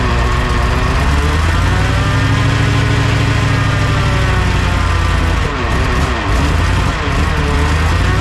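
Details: 1969 Ford F-100 with a naturally aspirated 460 V8 on first start before cam break-in; a thin, steady whine sits over a loud, even idle rumble, suspected to come from the drivetrain, cause not yet found.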